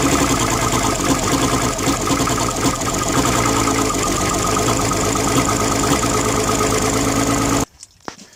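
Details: 135 OptiMax outboard running with coils and control wires swapped for testing: uneven, stumbling run with a broken beat, then sudden cutoff; the misfire moved with the number 1 wiring, so the coils are fine and the fault is upstream.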